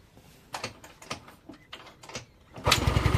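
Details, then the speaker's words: Yamaha Nouvo Z scooter that kept stalling, after swapping in a used original regulator/rectifier (kiprok): starts instantly and settles into quick, smooth, even idle with no misses. "Oh, langsung ces greng dulur. Bahkan langsamnya juga agak halus kalau kiprok yang ini nih dulur."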